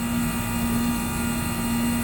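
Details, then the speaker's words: Trane compressor that had tripped on thermal overload, after fitting a new ICM start assist: starts and runs with a steady low hum near 230 Hz at even level, drawing 5.5 amps, suction pressure 35. "Well guys, I'll be darned. It's actually running. I don't believe it."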